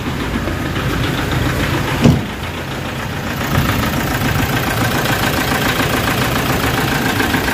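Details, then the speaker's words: Toyota Fortuner, low power, dies, idling about 900 rpm: rough idle with heavy knocking and strong vibration; shorted, grounded crank sensor wiring upsetting fuel supply and timing, fixed by wiring repair. "ang lakas ng vibration guys ah hindi siya ordinary na vibration so talagang ah ano ah low power at umaandar man siya"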